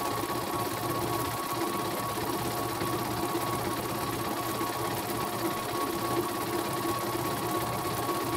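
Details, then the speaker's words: Embroidery machine from Demak, serviced for a rough grinding rotation noise, after the loose part was tightened: even, fast stitching rhythm holds steady with no knocking or roughness, thread won't break; normal stitching run. "Oke, mesinnya berjalan sangat lancar, tidak ada kendala sama sekali dan tidak mau putus ya."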